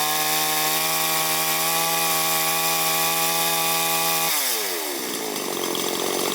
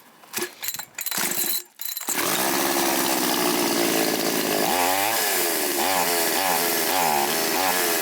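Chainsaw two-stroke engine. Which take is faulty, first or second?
second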